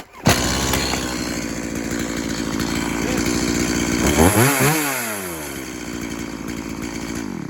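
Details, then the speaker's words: Stihl MS180C chainsaw with easy start, customer's no-start complaint: the small two-stroke buzzes crisp and even, revving up and settling back cleanly without stumbling or misfire; runs like new. "Another pull or two, she ran, and yeah, that's the way she goes."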